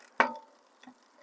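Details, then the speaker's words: Lectric XPremium e-bike after 1500 miles, wheel spun: a click then faint ticks as the chain tries to jump from 7th to 6th gear. The rear derailleur H limit screw is set too far, and backing it off quiets it. "You can hear that clicking sound? That means it's trying to jump up. That excessive noise, what you're hearing is it's trying to jump up to the next gear, to the 6th gear."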